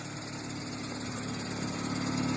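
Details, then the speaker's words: 1996 Honda Civic DX sedan, D16Y7 non-VTEC, with Pacesetter header, Magnaflow high-flow cat and 2.25-inch Megan catback: steady idle with a light whirring over the exhaust, swelling slightly with revs; owner suspects the clutch throw-out bearing. "wow you need to throw out bearing i think that's what that noise is"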